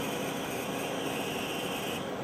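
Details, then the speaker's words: Cipher front-loading 9-track reel-to-reel tape drive after repairing the gummed encoder wheel: even airy rush with thin high whine stepping up as tape catches and loads; healthy, spindle bearing slightly iffy. "And there we go, loaded, and good, we can go online. So we're all good."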